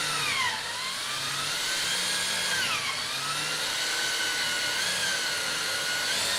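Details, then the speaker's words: Drill boring holes in wood while assembling an ITG2 dance pad replica: steady high motor whine with repeated pitch dips as the bit bites and pulls itself into the wood; drill pitch drop under load. "Every time you can hear the pitch lower, that means it's sort of pulled itself downward, so I'm trying to stop it and make sure it doesn't just screw itself all the way in."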